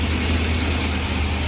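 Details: 376ci LS V8 on dyno after fixing ignition coil harness sequence (firing order) that caused backfire, MSD coils reinstalled: deep even burble with no misses; ignition now sorted.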